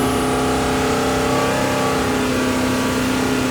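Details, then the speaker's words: Rebuilt Mopar big block 483 stroker for a Dodge Power Wagon, with a replacement distributor and timing set: strong, steady high-rev roar with a clean, even tone and no misses or rattles. Timing held as stable at 4,000 rpm as at 1,000. "set the timing and it was stable timing was this as stable at 4,000 as it was at 1,000 that sounded really good"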